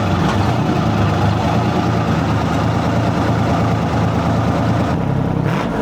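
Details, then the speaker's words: 1973 International Transstar 4300, 12V71 Detroit diesel sat since 1986, after fuel return flow check: deep idle then revving, fairly even with no clear miss; owners suspected injectors, but cylinder temps were within 10°, maybe air in the fuel. "Maybe we got a some kind of injector issue."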